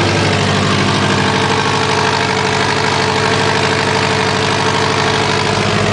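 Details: Subaru WRX at steady idle with a fast, raspy puffing tick running through it; awful exhaust leak.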